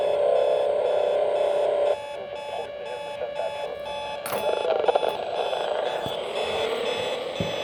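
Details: Hotel room radio alarm set to AM near an airport: steady electronic beeping about four per second over hiss, stepping down in level partway; unexplained interference, owner suspects military jets or military encoding.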